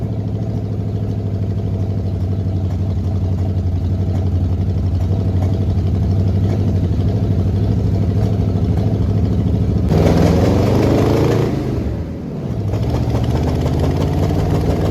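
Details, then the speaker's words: 1979 Jeep J20, AMC engine with dual exhaust, sitting a year: rough lumpy idle with uneven stumbling beat and a short rev that sags back; misfire from low compression. "I really love how it sounds with the dual exhaust other than it running like crap as you can probably hear"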